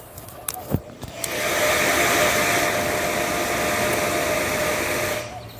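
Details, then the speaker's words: ASMOKE Essential pellet grill fan after fixing the issue and reconnecting the battery: a couple of clicks then smooth steady whir with faint high tone, no rattle; fan now working normally. "All right, so that's the fan right there. That's going. Now it's working."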